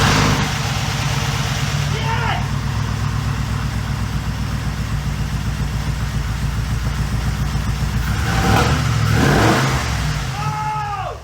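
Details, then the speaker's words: Pontiac G8 with a 6.0 LS engine on stock exhaust, first start after reassembly with race parts: strong steady idle with clean throttle blips that rise and fall smoothly, no stumbles or knocks; normal running. "you'll have that it runs it sounds amazing still has stock exhaust on it sounds amazing"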